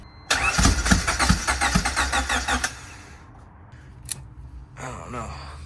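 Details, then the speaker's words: Turbo Honda Civic (about 400 hp) on E85, sat for months and just refuelled; the starter churns unevenly with half-hearted puffs but it won't fire. A gauge reads up to 60; the owner fears the fuel rail needs cleaning. "Like she wants to, but she just ain't going."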